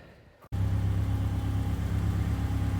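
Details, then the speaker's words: 2002 Subaru Impreza non-turbo with a broken exhaust and no muffler, idling after being driven off the trailer: loud, raw drone with even firing and no misses or knocks; engine sounds healthy. "like i said again the exhaust is broken and it's here in the trunk"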